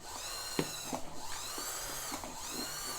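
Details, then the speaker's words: Vintage Kenmore sewing machine with old grease, rescue attempt: thin motor whir rising and falling with sporadic clacks as the stiff mechanism catches and turns intermittently, belt slipping on motor pulley; hand wheel less stiff than first try. "Watch, I'm going to turn the hand wheel, and I can get movement. It's very stiff, right? Not as stiff as it was the first time I was trying this."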